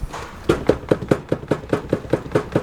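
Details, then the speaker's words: Renault Clio 172 with suspected broken gearbox, only first and second engage; mic placed underneath: rapid, even slapping knocks about five a second, something slapping underneath, owner suspects a snapped selector, unconfirmed. "is slapping underneath can you hear that something is definitely slapping underneath"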